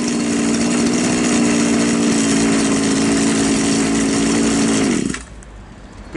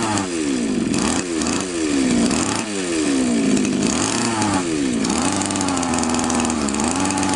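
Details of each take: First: Champion string trimmer, small two-stroke, after the top idle screw was turned in (its carburetor has no fuel screw) to stop it stalling at idle. Steady, even idle, then a clean shutoff. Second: Champion two-stroke trimmer before the carburettor fuel screw is turned in, flooding heavily; the screw likely loosened from vibration: revs surge and hunt unevenly instead of holding steady; rich mixture.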